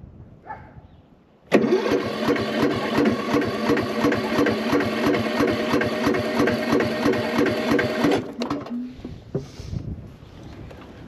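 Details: Cub Cadet tractor, very hard to start, corroded battery terminals, battery 12.17 V, some gas in tank: starter churns about three even beats a second for seven seconds, never fires; cranks but no start, owner suspects weak battery.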